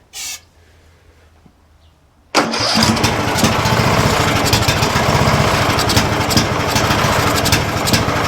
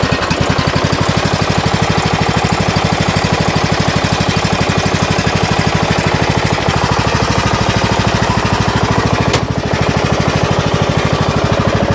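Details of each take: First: 2007 Craftsman LTS 2000 mower, started on starting fluid: fires and races to high unchecked speed; overrevving because throttle and governor were stuck. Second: 2007 Craftsman LTS 2000 riding mower with swapped used Briggs & Stratton Intek engine and new HIPA carburetor, cold start after two days, hydro engaged and moving: steady even single-cylinder thump, quiet transmission with no whine or grind; normal running.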